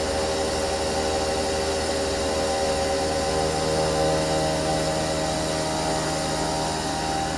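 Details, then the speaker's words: Used CNC mill bought for about $1025 without seeing it run, milling at 85% feed override with a small step-over: a steady, even cutting hum with a constant high spindle tone and no chatter. Chips clear well; edge passes are slightly jerky, possibly because smoothing is off. "actually looks like it's doing a really nice job like I said I think I got the step over at like three foul step over it's not a lot but it's enough it's blowing those chips right off of there sounds good little jerky around the The Edge passes"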